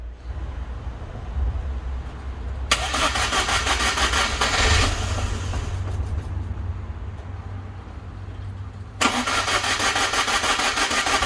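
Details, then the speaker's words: Car after new head gasket fitted, radiator not yet installed, cold day, battery possibly low: starter churns evenly about three beats a second in two long bursts but never catches; cranks, no start, owner suspects something left unplugged. "come on well there's clearly something somewhere that I've neglected to plug back in but I don't know what it is"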